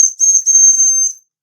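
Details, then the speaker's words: Mamod model steam roller, not run in decades, cleaned and oiled, fire removed: holding the whistle down to depressurize gives a piercing, steady high whistle with hiss, briefly dipping then holding before cutting off; working steam whistle. "Let's hold the whistle down to depressurize."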